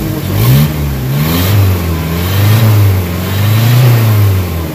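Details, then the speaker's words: Nissan Vanette after a fix for low power and throttle delay: engine now pulls strongly at 1,500–1,800 rpm, climbing and easing back with a clean, even drone and no hesitation, misses or knocks. Normal revving with no smoke. "Okay, wala lang usok, panalo na araw guys."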